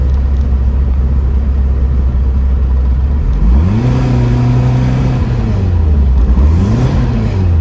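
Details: Porsche 914, newly built 2056 cc engine, dual throttle body MegaSquirt EFI, performance cam, enlarged valves, Tangerine Racing exhaust, 123Ignition, road test in basic tune: deep note climbing, dropping at shift, pulling again, no stumble; normal acceleration.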